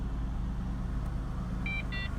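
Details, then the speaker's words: 1998 Holden Commodore VT Berlina after 5 years in storage, fuel pump replaced following a no-fuel, fuse-popping no start: quiet, even low idle with no rattles or ticks after running a few minutes; smooth idle. "rattles no funky noises smooth idle"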